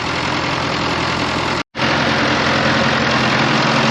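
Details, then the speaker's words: Fordson Power Major crane, steady, even diesel idle with a consistent low beat and no knocks or misses, warming up on its first run after the sump was reinstalled; it runs well, but it later stalls, apparently from low hydraulic oil. "This seems running real good, but I've discovered a bit of a problem."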